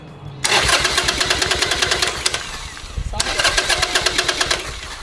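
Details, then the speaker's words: 2007 Harley-Davidson Sportster after rocker box gasket replacement, following top-end valve ticking: two bursts of fast even starter cranking with ticking over the whirr, engine never catches; crank-no-start, cause unconfirmed. "Now it's not even going to start."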